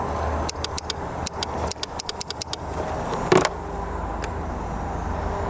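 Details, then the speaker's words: 2003 Suzuki Eiger 4x4 ATV, 12 volts confirmed at the starter: a dozen sharp dry clicks in quick bursts with no cranking; starter clicks but does not crank, starter suspected bad. "yep we're getting 12 volts there so the starters out of it"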